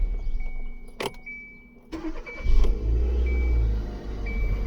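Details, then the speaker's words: 2015 Kia Soul 1.6 GDI after replacing the crankshaft position sensor that had caused a crank-no-start: a couple of clicks and a chime, then it cranks, fires and settles into a steady run. It starts normally now. "All good. No more crank, no start."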